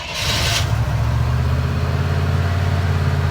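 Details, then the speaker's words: Barn-find 1972 Chevelle V8 after old-school points tune-up, cold start: fires and settles into steady smooth fast idle, idling a little high; runs much smoother than before the tune-up. "Well, I'll be. Run smooth. Yeah, a lot better than it used to, huh? Yeah. So now it's on its fast idle. It's idling a little high."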